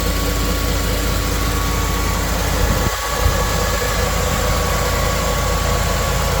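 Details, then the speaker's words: Restored 2000 Land Rover, 52,000 miles, stone-cold engine at 75°F ambient: cold start settling into steady, even low idle with no knocks, ticks or misses; healthy cold idle. "So, we're going to start it up and um let you hear how it does on the cold start and then we are going to take it for a highway drive."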